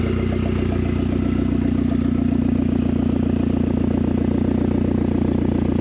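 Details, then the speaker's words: 2010 Hyundai Genesis Coupe 2.0T, first start after head gasket replacement and new 38k-mile OEM turbo: steady even idle, exhaust piece not yet fitted, lubricant burning off; timed correctly, firing well, no misfires. "sounds pretty good though all right so gives you guys just saw it runs good we timed it correctly she sounds like she's in time firing well no misfires"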